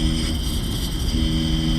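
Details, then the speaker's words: 2004 Chevy Avalanche while driving, clip-on microphone at a front wheel bearing: steady deep rumbling growl with a faint hum, a wheel bearing suspected to be going bad; cause not confirmed. "alright guys maybe you can hear that wheel bearing coming growling right now"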